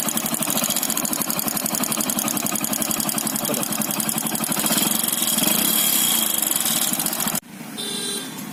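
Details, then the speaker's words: Bike engine at idle with fast, even metallic ticking about four per second: piston slap, the piston loose in the worn block; teardown shows it rocking loose. "Piston का आवाज़ आ रहा है। अब piston block में ढीली हो गई है, इसलिए वो आवाज़ कर रही है।"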